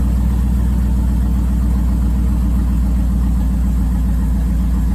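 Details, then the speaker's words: 5.3 LS V8 swapped into a 3rd-gen 1980s Firebird with straight-pipe exhaust, cold start in a Canadian winter after sitting a couple months. Deep, steady rumble settling into an even fast idle, no misses or knocks; healthy cold start. "Sounds good. Oh yeah. Haven't heard that sound in a little while."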